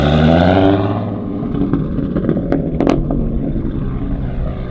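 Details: Audi RS3 with stock 3.2 VR6 and 79 mm turbo, low boost, base tune smoothed, camera in the back on a night road run: short rev flares and falls into an even, rumbling exhaust, no stumble; runs cleanly.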